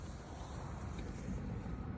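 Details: VW Passat with P061500/P304900 no-crank no-start, starter relay circuit open; after repairing the wiring loom: low steady rumble running evenly after starting, no stumbling or knocking; normal.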